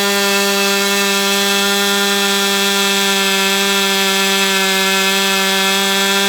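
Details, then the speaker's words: Brat 28 model glow engine, needle just leaned out, running with the prop on: steady high-pitched scream with an abnormal whirring edge; fine the day before; bubbles under the glow plug head, dark oil as if from an exhaust leak, possibly loose muffler; cause unclear. "Okay, so I got numerous issues here. I'm hearing a whirring sound."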